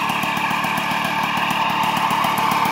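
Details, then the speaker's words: Restored 1989 Magnum Racing Ceramic White two-stroke moped running at a fast, rough idle. A steady metallic rumble and rattle sits over the engine beat, and the engine needs work. Worn, very noisy crankshaft bearings. "donc on entend bien le les roulements c'est bruillanti"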